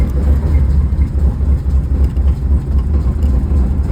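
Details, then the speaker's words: Firebird whose LT1 failed, now running a swapped-in 305 from an S10. Fired right up but a deep, loud rumble with an uneven pulsing beat about four times a second; rough running. "Fired right up. It sounds like [ __ ] but all right, boys and girls."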